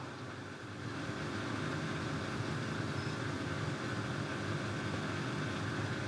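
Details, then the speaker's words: Samsung front-load washing machine found at the dump, draining: the drain pump runs with a steady low hum and drone but no water leaves the hose. The owner first suspected a faulty pump; the real cause was a clog in the pump and the bowl-to-pump hose, cleared to fix it. "well there's no water coming out of this um hose i am assuming that sound we're hearing is the pump trying to evacuate that water maybe it's a faulty pump"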